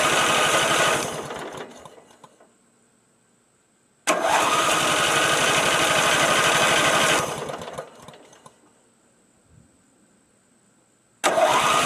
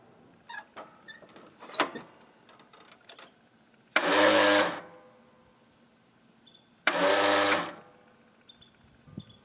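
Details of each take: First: Craftsman L9 lawn mower (Briggs engine) after diagnosing and replacing the starter with a new aftermarket unit: three bursts of strong, clean cranking with no grinding that catch and run briefly before dying away; normal cranking and start. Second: Craftsman L9 lawnmower with a failing starter: two short strained whirs about three seconds apart and the engine never turns over; cleaning the corroded connections didn't help, and the solenoid is checked next before the starter is replaced.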